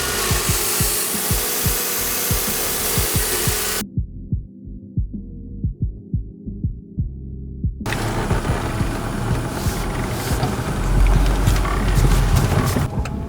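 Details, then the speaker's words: Mercedes-Benz after replacing camshaft adjuster magnet for P0025/P0022/P2006 codes, checking for leaks and engine light: steady low even idle pulsing with no misses, rattles or hunting; runs smoothly. "Got to start it up and make sure there's no leaks, or make sure it's running right, no engine light."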